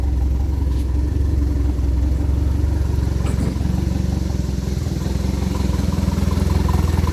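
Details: Fully built turbo Pontiac Sunfire with water-methanol injection, just after startup: steady even low rumble with slightly lumpy pulse, no knocks or rattles; normal idle.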